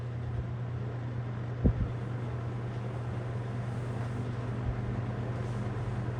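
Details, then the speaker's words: Toastmaster 20-inch box fan, faux wood cabinet, running on medium: steady low hum with an even airy whoosh and one small knock; normal running. "decent Breeze decent Breeze but that rattle is that sound or humies is really just a grill"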